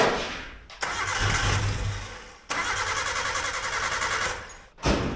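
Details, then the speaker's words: Suzuki Samurai abandoned 20 years: starter whirs in repeated bursts, engine turns but won't catch; old fuel and suspected bad fuel pump not picking up fuel, not confirmed. "got a bad fuel pump and it's not picking it up that's my only guess I don't really know for sure"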